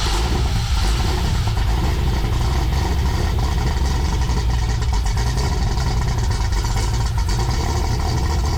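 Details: Freshly built 6.8 LS3 stroker V8 in a '55 Chevy pickup, first fire-up after fixing injector plugs: deep, steady rumble with even firing, no stumbles or knocks; oil pressure good, all cylinders pulling, healthy.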